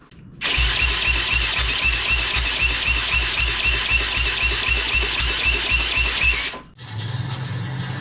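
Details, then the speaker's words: 1985 Honda ATC200X with rebuilt Honda TRX200SX engine swapped in, temporary pit bike CDI, spark confirmed: steady starter chug about four compressions a second for six seconds with no firing; no fuel in the tank. "It ain't got no gas in it."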